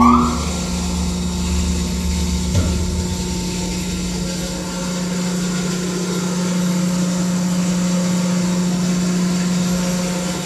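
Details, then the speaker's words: Electric fire pump kicking on at 150 psi after a valve is opened, demonstration start: motor starts and settles into a steady, even hum with constant tone, no grinding or surging; running normally. "once we get to that 150 psi our fire pump's going to kick on"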